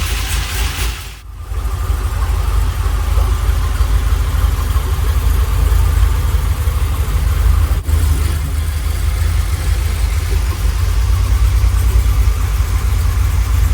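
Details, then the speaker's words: Freshly rebuilt LS1 V8 with very choppy Crow cam in a 1978 C3 Corvette swap, idling after first start: deep choppy idle with uneven loping beat that holds steady; healthy engine on aggressive cam. "Check it out! And it's idling! Oh man. You hear that chop? That's unreal!"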